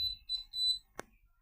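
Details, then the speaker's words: Prepaid electricity meter warning beep: three high-pitched beeps followed by a sharp click, before being silenced by entering a short code. "so in this tutorial I'm going to teach you how you can stop this beeping noise on your PID meter with this short code"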